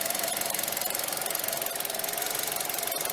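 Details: Rough, erratic, wavering petrol idle on an old Mazda 6 2.0 that is also using a lot of fuel; intake air leaks checked and none found; throttle body and MAF sensor to be cleaned.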